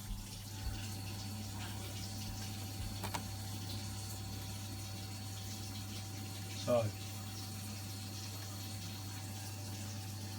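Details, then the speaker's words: Vaillant boiler with an intermittent fault, pump speed setting D19 raised from 2 to 3; quiet, steady low hum of the circulating pump with water trickling through pipes, pump running normally. "Let's get it set, and we should do that pump speed. Speed up now. We should hear that pump now run after it stops this."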